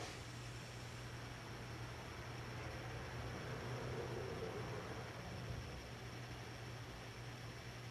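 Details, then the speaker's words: 52-inch Hunter Original ceiling fan dated April 1982, three-speed conversion, in reverse, low about 60-65 rpm and medium about 100-105 rpm: steady low hum and smooth whoosh, slight wobble on medium reverse, nothing concerning; normal running. "medium's going around 100 105 RPM maybe you know not much wobble on the low reverse setting and may just a little bit on the medium reverse and nothing to be concerned about"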